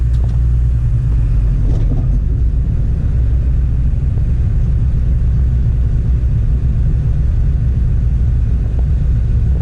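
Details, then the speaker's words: John Deere 9510 straw-walker combine after grain tank auger and drive chain reassembly, separator engaged: steady deep rumble, even mechanical churn and signature walker rattle, a squeak probably from the straw chopper, no knocking; running normally. "Nothing falling apart. Got the signature rattle of a straw walker machine, but I think things are doing what they're supposed to."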